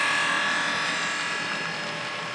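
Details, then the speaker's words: Model class 66 locomotive motor: a high, harsh, rasping buzzing whine while it still runs; the motor is worn and already stripped with no fix possible, so replacement motors are on order. "discovered that the motor is making this horrible noise there's nothing I can do will fix it can hear it coming and yet it's running you know runs okay but it's not okay"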